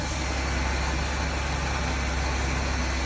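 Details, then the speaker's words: Ford Taurus/Sable at idle after replacing the serpentine belt, code P1633, A/C fuse blows and A/C blows warm: loud, steady droning growl with metallic noise at the compressor; failing A/C compressor clutch. "And I'm going to go over here and take a look at the AC compressor clutch. This is the clutch right here, and you kind of look at these, you hear this metal"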